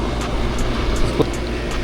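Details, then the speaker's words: Package-unit AC outdoor compressor running normally after replacing a bad capacitor: steady even low hum, no clicking or stalling, hot air being expelled outside. "del compresor ya trabajando ya entonces básicamente Aquí el problema era el eh Ya está eando también ya aire caliente ya buena seña"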